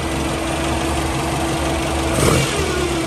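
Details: Toyota 3TC engine with newly installed gear drive, first cold start on carbs, cold outside: at idle the gears are inaudible; a faint steady whine rises briefly when revved, normal gear drive noise.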